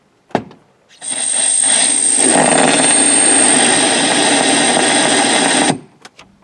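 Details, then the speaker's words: 1988-1994 OBS Chevy/GMC GMT400 factory radio: a loud, steady, very high-pitched squeal starting at power-on and holding until switched off; clock also resets and buttons fail; owner suspects a faulty module. "and that's the sound that you get when you turn that on"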